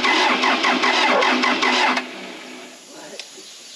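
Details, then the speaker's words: Case 450B dozer diesel that had sat, with Roosa Master DB injection pump: starter cranks evenly about three turns a second for two seconds and never catches. Cranks but will not start; no fuel flowing from pump, owners suspect internal pump problem. "There's no fuel flowing down from that pump, you know? well, I don't think people want to hear this, but I promise you no one wants to hear it less than the 4 of us that are up here right now. I don't think it's going to happen today either"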